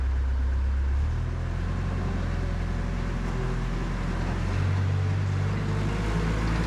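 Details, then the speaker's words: 2004 Cat 247 skid steer diesel, a hard cold starter; owner found a block heater and hopes it works. It cranks, catches and settles into a low uneven rumble that slowly firms up, typical reluctant cold start. "This machine does not like starting the cold, but I actually found a glow plug back in here."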